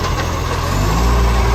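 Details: Mitchell garbage truck 1040 at idle: deep steady diesel idle with a raspy, puffing edge to the exhaust note from an exhaust leak.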